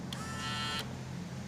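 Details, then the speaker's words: Vintage Honda Elite 150 Deluxe scooter pop-up headlight, linkage disconnected: key click, then brief even motor whir as the arm raises with key on and retracts with key off, working normally. "it raises. And if you turn the key to the off position, it retracts, which ultimately is a raging success for us."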